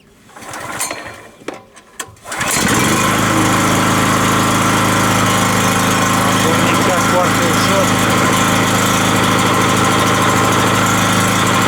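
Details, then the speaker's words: Rotakt electrical generator, first start with fresh oil: a quick pull with choke on, it catches at once and settles into a steady, even run with no misses or knocks; choke eased to run position for warm-up before load test. "put the choke slowly on the run position I let him a little for warm up after which I will take a test"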